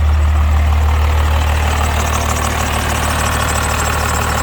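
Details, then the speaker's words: Cummins diesel swapped into a Ford truck, first startup after the swap and rewiring (swap adapter tach signal converter, fuel pump wiring): even clatter at about three beats a second, steady idle with no misses or stumbles; tachometer works, check engine light on. "no way it starts right up tachometer works"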